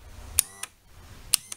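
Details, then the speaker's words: Yamaha F90 outboard power trim/tilt relay under the cover, button pressed up and down: two crisp double clicks as the relay pulls in and releases; trim relay switching normally, so supply to it is fine. "entend le clic clic à chaque fois qu'on appuie sur le bouton soit en montter soit en descente donc si vous avez pas ce clic clic ça veut dire qu'on a un problème d'alimentation de ce relais"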